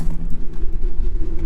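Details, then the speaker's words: Old truck just started after hazard/turn signal combination switch replacement; deep, even low rumble with no misses, knocks or ticks, silky smooth normal idle. "this might be an old truck but man she runs good silky smooth"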